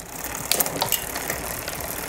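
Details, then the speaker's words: Shimano XT 8000 rear derailleur after B-screw adjustment, upshifting from second-to-last to last (tallest) cassette gear: brief shift clatter then soft steady freewheel whir, chain jumps up cleanly with no rubbing; normal quiet shifting. "rubbing sound chain jumped up nicely it's quiet well it's in this gear all the other sounds are hearing is totally normal"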